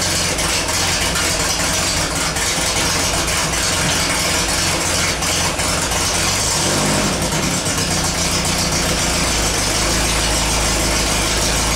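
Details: Air-cooled VW after transmission work: engine runs steady and rough-edged while going through the gears; all four forward gears and reverse shift with no crunch or grinding.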